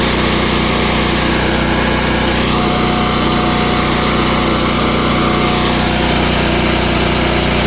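Small engine holding a steady, even buzz on choke with no misses or knocks as it warms up; it runs healthy.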